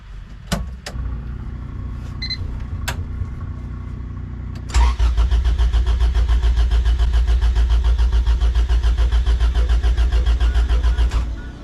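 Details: Honda fitted with a Hondata coil-on-plug retrofit; the injectors check out good and the fuel pump sounds off. The starter churns at a steady three-and-a-half beats per second for six seconds without catching; no spark because the ignition sync wire was spliced wrong.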